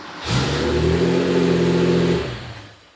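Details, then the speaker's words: Porsche 911 with 915 transmission, new high-torque IMI starter replacing OEM; brief firm crank, fires and revs up cleanly, clamp meter shows peak about 133 A then about 27 A; normal cranking and start. "So the initial current is very high as it jumps up when it starts."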